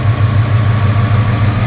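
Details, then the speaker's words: 2000 Ford Explorer 5.0 V8 with Meziere WP374 electric water pump, after replacing the failed idler bearing: steady, even low rumble with no screech or chirp, the earlier noises gone; normal idle, belt drive healthy. "Definitely sounds much improved. I don't hear the crazy wackadoodle sounds that I was hearing earlier."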